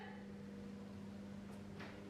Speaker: ça fait du bruit, mais ça ne se lève pas.